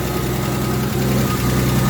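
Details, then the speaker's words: 1973 Scamp idling after a new electric fuel pump and fuel filter replaced a leaking Holley pump. Deep, steady rumble with an even beat and no misses or knocks; the pump is felt pulsing. Normal idle. "I can feel that pumping away, pulsating, so that's working lovely. Lovely. Nothing wrong with that."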